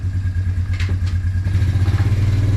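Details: Suzuki Quadrunner 250 single-cylinder quad after about 7 years in storage, restarted without choke: quick, even low thumping at a steady idle with no misses or knocks; engine running healthy.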